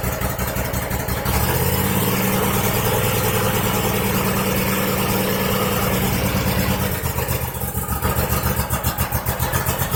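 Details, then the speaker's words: 2001 Cub Cadet 3184 tractor, Kohler CH18S 18 hp OHV engine, 848 hours, before tune-up: lumpy idle that stumbles and surges instead of holding an even beat; rough running from a clogged air filter and carboned, mis-gapped spark plugs. "Sounds really fuel starved, like it's got a clogged air filter or fuel filter."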